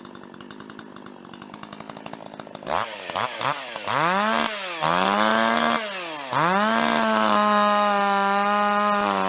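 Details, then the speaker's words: Two-stroke chainsaw lifted out of the cut at full throttle, unloaded: revs hard, pitch sweeping, then steady high scream with slight burble; normal four-stroking of a correctly tuned saw that runs clean under load. "But if you lift it out of the cut under less load and full throttle, you want to hear that four stroking every time."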